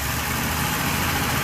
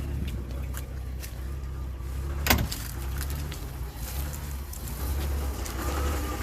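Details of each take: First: Petrol engine after repair, revved a little: steady even running, slight valve clatter, faint whir from alternator charging a long-uncharged battery, no more groaning or piston-slap-like vibration; alternator bearings earlier suspected unhappy. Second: Rambler petrol engine idling with a steady, low growling rumble from worn bearings in the alternator, converted from a generator and not that old; vibration felt through a wooden dowel; car likely to be parked rather than trusted for the trip.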